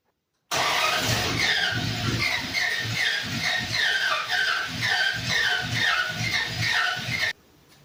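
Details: 1948 International rat rod panel truck, body-swapped, first start in 2 years after a new fuel filter and line and reseated injector caps. Steady cranking with a scraping squeal but it never fires. Cranks, no start; the owner wonders about a new oil pressure sensor.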